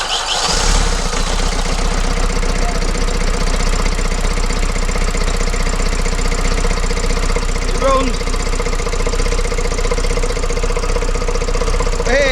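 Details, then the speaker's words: Vauxhall Vivaro 2.0 diesel van after injector replacement and coding, jump-started: steady loud idle with busy clattery top end because the breather covers and fittings are missing, letting valve gear noise out. "that noise you can hear is the top of the things are missing the Breeders are missing on here"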